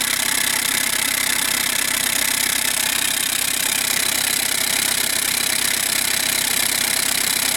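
Even diesel idle at about two to three pulses a second under a loud raspy exhaust hiss; gas is escaping at the open EGR pipe, and the DPF is blocked.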